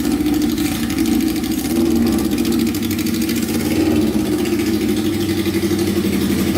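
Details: Kawasaki 650cc shifter kart, second start attempt with the new air filters fitted, charging system being tested: steady, even idle with a smooth low throb, no stumbling or misfire; a healthy idle.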